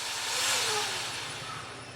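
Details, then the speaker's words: Racerstar 69,500 rpm brushless motor for an E010 mini quad on a simple servo-tester and ESC motor tester on a battery; ESC startup then a thin, airy hiss with a faint whine swelling and easing, no grinding or rattle. "so here you hear the motor starting up as you would when you co get up with an e SE"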